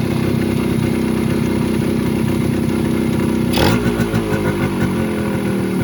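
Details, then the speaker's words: Bajaj KB100 two-stroke with original Mikuni carb, before carb tuning: mileage is fine but slow running isn't set, popping unevenly at low speed with a wandering beat and a blip; rough, uneven slow running. "ഇതൊന്നും tune ചെയ്തത് full ആയിട്ട് ready ആയിട്ടില്ല mileage കിട്ടുന്നുണ്ട് പക്ഷേ അതിന്റെ slow working കാര്യങ്ങൾ ഒന്നും ready ആയിട്ടില്ല"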